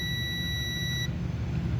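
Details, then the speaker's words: Atlas Copco electric needle (poker) vibrator switch being tested with multimeter: steady high-pitched continuity beep on the third contact, about a second then cuts off; other contact showed no continuity. "यह multimeter beep कर रहा है। देखो, इससे आवाज जरूर आ रही होगी, दोस्तों।"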